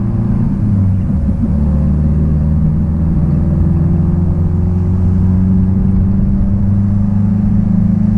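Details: 1966 Triumph Spitfire, rebuilt 1147cc engine, after fuel system stripped and lines flushed: engine note climbs smoothly and steadily under load, no stumble, popping or hesitation; normal acceleration.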